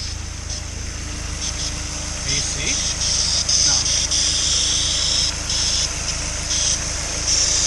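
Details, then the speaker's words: Honda S2000 F22C, over 130K miles, first start after timing chain service and stock intake box refit: steady idle with uneven airy whistle and hiss; bypass valve noise, hose routing being rechecked. "i don't remember it making that noise before since the bypass valve is causing that noise"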